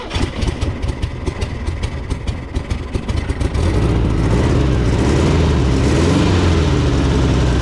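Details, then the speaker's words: 1970s VW Beetle air-cooled engine, barn find running again after over 20 years: rapid irregular chuffing, then catches and settles to a steady but slightly lumpy idle; carburetor worn and needs rebuilding. "right so what I figured out is this carab definitely needs rebuilding anyway cuz"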